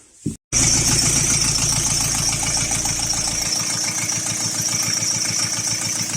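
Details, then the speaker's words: Chrysler Voyager 3 diesel, warmed about 10 minutes at idle: light quick tapping about three per second over the clatter, a hydraulic lifter knocking, intermittent and fading; flush before oil change. "слышно, как стучит гидрокомпенсатор."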